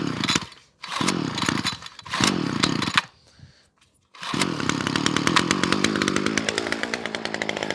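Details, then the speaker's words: Titan two-stroke strimmer after winter storage, choke set: high buzz cutting out and surging in bursts before a steadier whine, sounds a bit off; hesitant running, owner suspects a bit of dirt in it. "just sound a bit just sounds a little bit dope"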